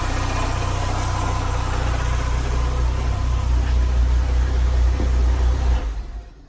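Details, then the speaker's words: Chevrolet Corsa, morning cold start, accessory Poly-V belt recently replaced: fast loud metallic rattle over idle from a loose accessory belt tensioner and bolt. "E aí ó ó ó Ah tá com um barulhão tá vendo"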